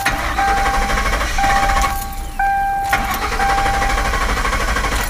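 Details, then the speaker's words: Mercury Grand Marquis after starter replacement and a PATS-delete tuned ECU installed; starter cranks steadily several seconds with door chime pinging but it never catches, proving the tuned ECU does not work; crank no start. "you see the ecu doesn't work all right so that's the proof that that ec does not work"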